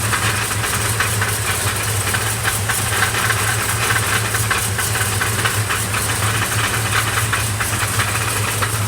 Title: Clatter Sounds